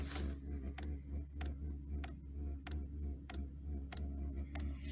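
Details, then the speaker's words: Diesel air heater after E08 shutdown despite fuel, with a smoking battery, just reignited: quiet hum surging about three times a second with faint irregular ticks; owner suspects back pressure from the exhaust against the battery, plans to disassemble; rough running. "You can tell it's something not quite right. I'll probably have to take her apart and see what the deal is."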